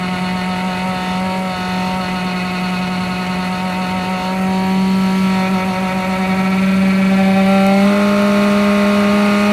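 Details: Webasto heater making a strange running noise: constant low hum whose pitch creeps upward; cause unknown.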